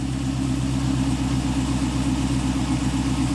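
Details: 1986 Pontiac Trans Am LT swap at idle after the muffler was cut and rewelded onto the same mounts: deep, smooth, even burble with steady low rumble, no rasp or popping; much better exhaust.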